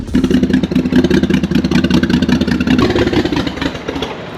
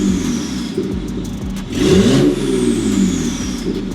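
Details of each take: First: BMW 535xi E60 (N54) first start after sitting, with new low-pressure fuel pump fitted: uneven, stumbling rev with irregular chuffs and clatter, misfiring heavily, then stalling; cause unconfirmed. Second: BMW 535xi E60 (N54) revved after fixing the misfire, no check engine light: engine picks up cleanly through a couple of blips and settles smoothly, no stumble or popping; normal rev response.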